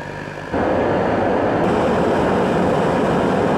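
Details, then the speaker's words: Riello RDB kerosene oil burner after only the nozzle was changed (contaminated nozzle had caused lockout): lights with a whoosh and settles into a steady even roar without pulsing; now firing properly. "so just changing at the nozzle got the burner working the other nails look perfect didn't look like there was anything wrong with it"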